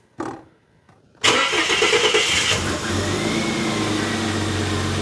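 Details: 2001 Ford AU Fairmont on a lift, first start after an engine oil change: a quick crank and a clean catch, then an even, steady idle hum with no knocks or ticks; the oil pressure needle was slow to rise.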